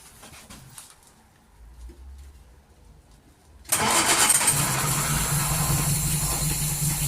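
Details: 1939 Hillman with a fuel pump problem, full choke, pull-started by hand: catches and settles into a harsh uneven idle with a busy hiss, running rough. Owner suspects ignition timing, which he had been adjusting.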